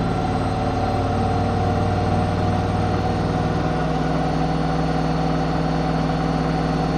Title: Zanussi ZWH7148P knocking noise